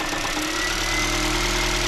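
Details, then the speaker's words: Hybrid Honda Jade, misfiring and running rich with long fuel trim off, while cutting injectors: uneven idle with loose fluttering rattle from the gearbox side; worn transmission damper disc suspected. "В общем вот так вотчер проверяю выключаю по форсунке и вот начинается вот этот звук звук идёт с той стороны с коробки откуда-то Ну это демфер"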